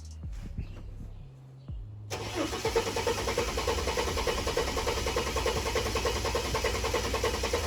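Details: Ford AU Falcon first start in years after fitting replacement plug wires: quiet cranking then sudden catch, rough loud running with a big backfire through the intake that blew apart the air box.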